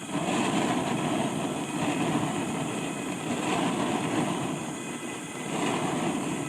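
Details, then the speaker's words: New Bayou Classic Banjo Cooker KAB4 propane burner with a 30 PSI adjustable regulator, opened up during setup. Loud, steady jet-like roar swelling slowly, no flutter or popping. Too much primary air: the air intake needs closing a little. "Too much air. There you go. Close that air intake a little bit."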